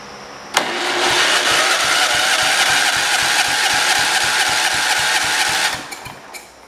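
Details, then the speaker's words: 1971 John Deere 140 H3 after a head gasket replacement, head torqued by feel: the starter spins strongly with about four even compression pulses a second for five seconds; normal cranking, starter and compression good. "sounds good sounds good ready to run so starter is good don't have to worry about that don't have to do anything to the starter good compression so compression is good"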